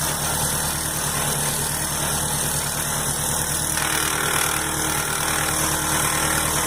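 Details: 2003 Opel Astra at idle: steady idle with a constant rough whirring over the engine and a faint tone; suspected accessory belt tensioner or pulley bearing, to be checked by removing the accessory belt; source unconfirmed.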